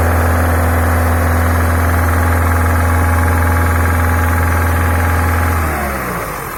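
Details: Peugeot 308 with EP6 engine, 82,000 km, oil level normal, no engine fault codes: steady high-rev drone around 2500–3000 rpm with a regular knock about three or four a second, fading as revs drop; engine knock, cause unknown.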